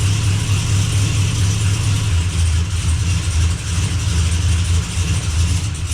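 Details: Blazer after transmission repair, running while shifter is moved through all gears to circulate fluid; steady low hum, smooth gear engagement, no clunks or slipping, good oil pressure, no leaks: normal running.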